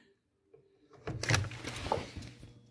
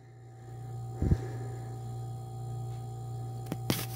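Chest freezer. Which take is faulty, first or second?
first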